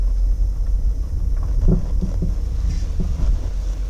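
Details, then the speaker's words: 2014 Dodge Durango Citadel Hemi AWD driving over light bumps and a garage lip: dull low clunks about every half second through wind and road rumble, body shakes; worn sway bar end links suspected and replaced. "so I did some research from what I can figure out these have a little bit of an issue with a sway bar linkage problem"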